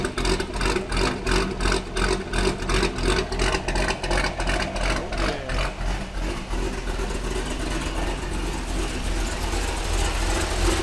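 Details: Chevrolet Corvette Grand Sport LS3 V8 after a cam install, with Corsa exhaust: lumpy, choppy idle with a deep, even loping beat of roughly three pulses a second, a healthy cammed V8.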